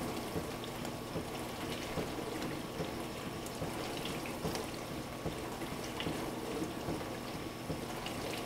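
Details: Frigidaire LFBD2409LF2B dishwasher, two years old (bought 2015), diagnostic test step 5 WASH HEAT, wash motor and heater activated for 75 seconds; steady rush of spraying water over an even low motor hum, no knocks or grinding. Normal.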